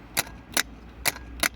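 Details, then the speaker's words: Opel Astra G 1.9 CDTI automatic that won't start: four sharp solenoid clicks with no starter spin; the starter motor turns on direct power, but the solenoid's burnt contacts don't close, so the starter is being replaced. "втягующе щолкає але воно не замикає ці якби контакти то есть втягующе має мало того що воно вивести воно має замкнути цей плюс і цей плюс видно там да"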